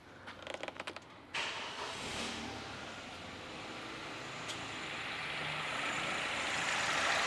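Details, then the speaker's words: MG3 with misfire, sputter and hard start, cold start after spark plug replacement: a few light clicks, then catches and settles into an even, smooth idle with steady hiss, no stumbling; runs as expected. "Okay, cold startup, nice and smooth idle. I'll give it a little rev or two, but look, that's exactly what we expected it to be."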